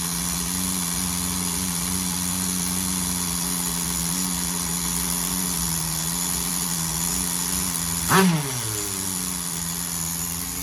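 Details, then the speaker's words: Tamiya TGS-R nitro RC car with a rebuilt engine on its first break-in tank, tuned very rich to keep the temperature down. It holds a steady, slightly soft buzzing idle with one quick throttle blip. "tank said you want to provide enough fuel to keep it cool guess that's what she's going to break in at very rich right"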